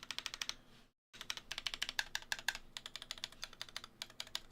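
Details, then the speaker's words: GMMK Pro mechanical keyboard with foam removed: fast typing with a thin, bright tick, worse near the bars, as the loosened plate smacks the top edges of the case. "yeah there's a little bit of ticking in it yeah the closer you to the bars on the keyboard there is more ticking to it than normal"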